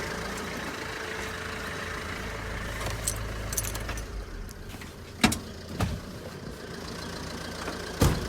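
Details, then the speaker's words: 2008 (58 reg) diesel, about 150,000 miles, stored in a shed, jump-started from dead battery: fired straight up, steady low idle with even rumble, no knocks or misses, few clicks; sounds healthy. "as you can hear, it fired straight up. And sounds really, really well, but we know we're not going to break any world records in profit."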